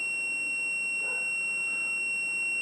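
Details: Whirlpool/Smeg ELTH type 261N bimetal defrost thermostat under continuity test while frozen, about -7°C, on the orange and white wires: an unbroken high-pitched tester tone shows the switch is closed, as it should be.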